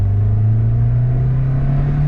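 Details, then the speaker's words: Car after headers refitted and flex pipe deleted, curing long-standing drone, idling down: steady, deep, even exhaust hum with no drone or rasp; normal exhaust note. "yeah dude that is it you guys this sounds so much freaking better like it's it's insane how much better this sounds"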